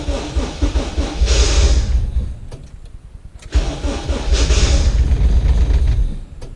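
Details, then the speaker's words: Vehicle in a cold 41°F garage with a battery at 11.5 volts and a worn starter/flywheel: two long stretches of slow, uneven cranking, about two or three churns a second, never firing; long-crank hard start. "Batteries, 11 and a half volts. It's gonna take a minute. With my starter, my flywheel, whatever's all junked out."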